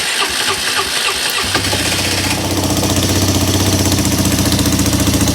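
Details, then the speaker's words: Polaris Sportsman 300 ATV after new carburetor fitted: about 1.5 seconds cranking, catches into steady even single-cylinder thump with choke held, then runs without choke; normal cold start, new carb fixed it though fuel hose leaked. "It's going with the choke. That's without the choke."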